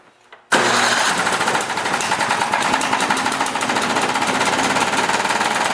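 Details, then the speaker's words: Tecumseh 8 hp engine on a Mastercraft 24-inch snowblower, run with the drive belt removed: small petrol engine fires up and knocks hard and rapidly throughout from inside the engine, sounding like it wants to blow. "I thought I'd better stop it because it does sound like it wants to blow."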